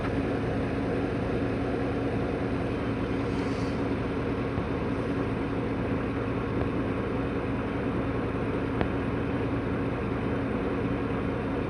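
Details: Chevrolet Silverado V8 after replacing the #1 and #6 injectors, no more misfire: a smooth, even idle with a steady low hum and no stumble or skipped beats.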